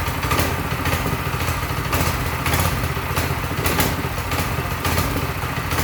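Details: Newly assembled Mega Moto 212 mini bike, Briggs & Stratton-type small single-cylinder, about 8°F outside: brisk, even putter with slight rhythmic surges, no knocking or rattling; normal running.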